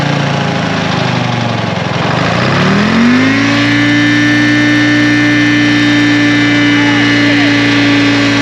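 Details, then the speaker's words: 1960 John Deere 440 backhoe with supercharged 2-53 Detroit two-stroke diesel, seized after years sitting, first start: cranks, fires, climbs to steady fast idle with clear blower whine over even drone; good oil pressure, normal running. "it is a runner it sounds awesome we've got good oil pressure it's pumping through here"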